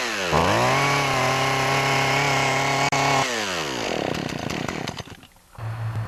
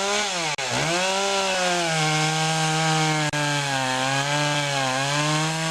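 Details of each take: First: Poulan Pro chainsaw with its original clogged air filter: revs to a held but soggy pitch, then falls to a lumpy, uneven idle. Runs rich as if the choke is on, and idles poorly once warm. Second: Poulan Pro two-stroke chainsaw after fixing a clogged air filter and sharpening the chain: strong clean scream holding high revs with brief dips under load, pulls smoothly at full speed; normal running.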